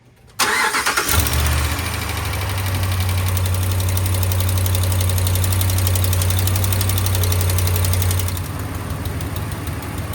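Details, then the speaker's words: 2016 Ram 1500 5.7 Hemi, cold start after sitting overnight: catches and settles into fast idle with sharp rapid ticking, exhaust visibly spitting at the suspected passenger-side manifold; quiets when warm, possibly aftermarket manifold; manifold gasket leak. "Yeah, it's definitely going to be a manifold leak. You can kind of see it spitting it out right here."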